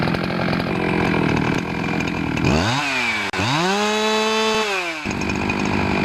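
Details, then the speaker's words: Husqvarna 365 chainsaw run outside after replacing the intake boot between carburetor and cylinder: crisp two-stroke revs climb cleanly, hold and drop back with no bogging or sputter. Runs strong, repair successful. "once you've tried it out and your sure runs good like that you know you've done it right"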